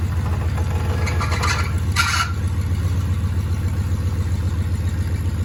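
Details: 1984 Chevrolet El Camino V8, first start in almost 4 years: steady, fast, lumpy idle well above normal; caused by two disconnected vacuum lines.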